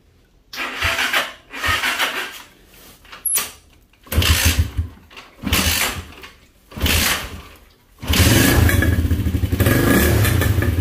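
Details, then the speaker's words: Motorcycle with an intermittent fault of bogging at around 6000–7000 rpm: it fires in short revving bursts that die out and won't hold a steady idle, stalling on its own. Cause suspected, not confirmed. "ahí se apagó ya ahí se apagó se apagó de la nada no se mantiene"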